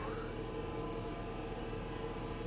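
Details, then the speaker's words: Small hybrid at a salvage auction, gasoline engine just kicked in. Uneven, lumpy idle with a wavering low rumble, running rough; cause not known. A rock-like noise from the transmission is also noted when put in gear. "she doesn't sound listen to that that doesn't sound healthy at all does it"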